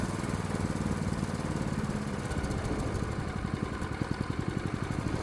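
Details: Predator 212 Hemi single-cylinder engine on a bench after swapping to an adjustable performance carburetor, idle screw just adjusted; settles into a slower, even, steady firing beat with no hunting or surging, a clean idle.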